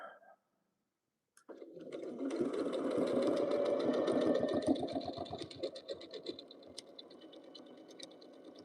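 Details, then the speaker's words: Free-motion quilting on a sewing machine: steady rapid stitching near four per second grows louder for a few seconds as the needle crosses the thick seam allowance pressed toward the sashing, then settles; normal seam-crossing sound. "you hear that louder noise of the seam that's underneath here. And I'm getting closer to the seam allowance uh along the edges of the sashing because the seam allowance is pressed towards the sashing."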